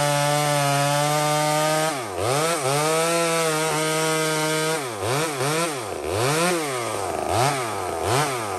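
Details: Small Homelite chainsaw cutting maple: a screaming two-stroke holds a high steady pitch, then bogs and recovers in repeated dips as the chain bites into the wood. Runs clean; normal cutting under load.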